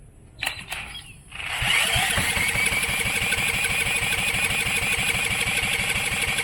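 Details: Coleman Contractor 4200 generator that had sat for years, fed gas from a jar and spun with a drill: steady chuff about three times a second but it never fires; cranks, no start.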